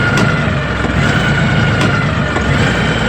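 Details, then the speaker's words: LS XR3135 tractor diesel, 324 hours, still faulty after the mechanic shop, which goes dead many times a day and shows no codes. At wide-open throttle it holds a flat drone around 900–1,000 rpm and will not rev above idle. "although wide open 1,000 rpm is all that it will do so the issue of the tractor is still not fixed"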